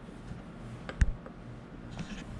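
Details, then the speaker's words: Hydraulic lifter from an old 360 engine found during teardown, pressed down by hand: one sharp click as it moves, showing it is leaking down and losing oil pressure instead of giving a solid push; a bad lifter. "so what you'll do is you'll kind of press down and you might see that move or you might hear that click that just happened"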